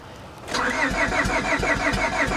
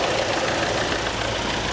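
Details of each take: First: Copart auction Honda, about 300,000 miles, cranked on booster pack: uneven lopsided cranking, only a couple of cylinders catching; uneven compression, cat seems missing. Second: Near-new Kia Forte with about 4,000 miles at a salvage auction: the earlier engine rattling is gone, leaving a steady idle with a light, fast, even tick; normal direct-injection injector noise, no smoke or leaks.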